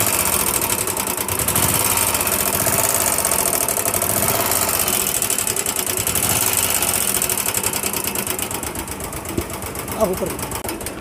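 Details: Royal Enfield Bullet single-cylinder idling with a fast, loud metallic clatter from the top end, like utensils banging; faulty hydraulic tappets suspected, oil supply and oil filter to be checked.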